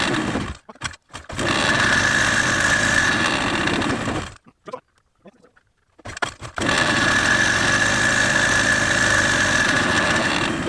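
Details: Honda FL250 Odyssey test run after seat install, fuel splashed in intake: small single fires and runs with faint whine, cuts out, then restarts and holds an even run; running normally.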